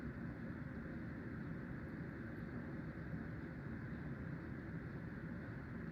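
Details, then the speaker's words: Hunter (CEI) Low Profile V ceiling fan, made 2003, on high after replacing worn bearings: soft steady whir, low even hum, no grinding or roughness; much quieter, slight wobble, good airflow. "It's much quieter with new bearings, and still has a little wobble, and it blows good amount of air."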